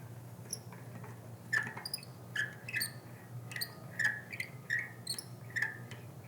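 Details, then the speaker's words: Bicycle rear hub quick-release skewer being closed after a hub overhaul: sharp, high chirpy squeaks about once a second as the lever works against the dry cam; it needs lubrication and closes smoother once lubricated. "nice there's mice in our kitchen no that needs some lubrication a little lubrication here"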